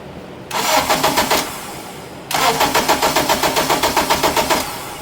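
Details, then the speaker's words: 2007 Acura TSX towed in after running with vibration, battery dead and charged, oil level fine: two bursts of even, quick cranking at about four beats a second, but the engine never catches; a crank, no-start, fitting cam timing jumped out of sync. "It's It's cranking, but it's a crank, no start."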